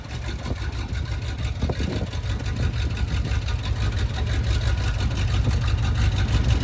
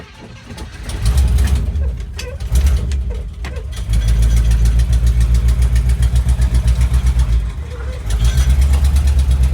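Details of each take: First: 1973 International Travelette crew cab, 392 V8, parked 30 years, warmed to temperature on a drive: deep, even rumble that climbs smoothly with no misses or knocks; normal warm running. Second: 1973 International Travelette crew cab, 392 V8, parked 30 years, first running with little choke and low oil. Lumpy idle with a quick, steady tick on each exhaust pulse. Exhaust tick.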